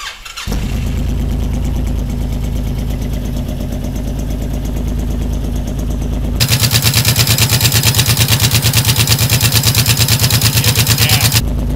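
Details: 2006 Honda VTX1800 after dealer work, in neutral: catches quickly and settles into an even loping idle, then holds higher with steady regular pulses and no knocking; runs healthy.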